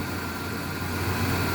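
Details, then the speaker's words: Truck idling after fitting pricier NAPA engine mounts in place of cheap solid ones: smooth, steady low idle with an even hum and no rattles or knocks; the grille and interior no longer rattle. "The grill no longer makes noise, and the interior is not rattling."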